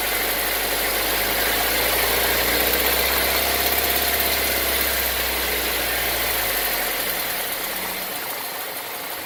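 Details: 2018 Nissan Versa HR16DE, about 8xxx miles, steady light knocking about three or four per second over the engine note while pulling under load; owner believes it is engine knock, cause unclear.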